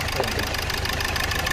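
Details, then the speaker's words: Hyundai Verna automatic, fourth injector dead (diagnosed open circuit), yellow check engine light on, severe jerking: rough, slightly uneven idle with a lumpy low beat; one cylinder missing from the dead injector. "Automatic நாலாவது injector வேலை செய்யல வண்டி missing உள்ள வந்து மாட்டு back light எரியுது பாருங்க yellow colour light எரியுது வண்டி வந்து ஜர்க்கிங் ரொம்ப ஓவரா இருக்கு"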